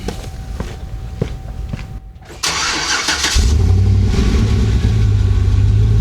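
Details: Swapped 6.2L L92 V8 (from 2007 Escalade, replacing 5.3L) in a 2011 GMC Sierra 1500, started after sitting, a bit steamy with exhaust condensation, just after replacing both exhaust manifold gaskets: a few clicks, then a strong, even idle with no puffing or ticking leak.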